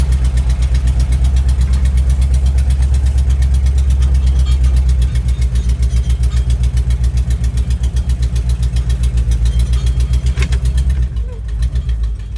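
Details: 1973 International Travelette crew cab with a 392 V8, parked 30 years, first run on a little choke: idle with a sharp, regular tick on the exhaust pulses, an exhaust tick.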